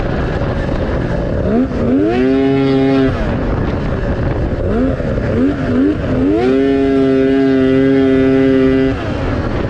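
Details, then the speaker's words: 1997 Yamaha SX 700 triple: clutch engages near 4,000 rpm, gargly at 5,000, and near the 8,000 top the note turns ragged and flat, falling on its face; high-rpm breakup and power loss, suspected reeds or a stator issue, cause not confirmed. "You can hear how gargly it sounds. It's at 5 grand. And up top, it just falls apart. It breaks up."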